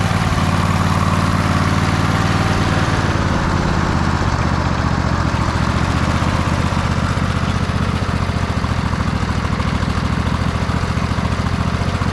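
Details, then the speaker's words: MTD White Outdoor GT2550 garden tractor, 25hp Briggs & Stratton V-twin: the idle hunts, speeding up and slowing down unevenly as if about to stall; carburetor blamed as running poorly. "You can hear the idles just kind of like all over the place. Now it sounds like it wants to stall. Or maybe that's actually a good idle. It kind of goes high and then it goes low."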